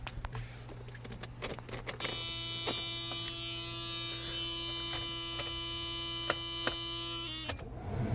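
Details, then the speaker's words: Mercedes 300CD, after replacing blown fuse: electric whirr starts, holds steady even pitch about five seconds, then cuts off; normal blower motor operation, fault was indeed the fuse. "Well, blower motor works again, so it was indeed the fuse."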